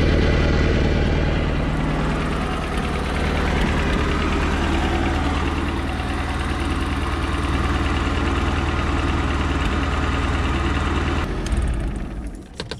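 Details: Mercruiser after starter solenoid replacement, starting first try without pumping: steady throbbing idle, about four pulses a second, even and unbroken before it dies away; normal idle.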